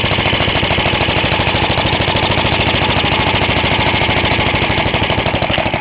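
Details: Half-restored 1954 reel mower: repainted Briggs & Stratton 6S, 1.6hp, non-original shroud, pull start removed, homemade throttle valve; plus 1984 Montgomery Ward B&S 3.5hp TMO-37425A. Crisp, even single-cylinder popping at a steady fast beat, no misses or rattles; normal running.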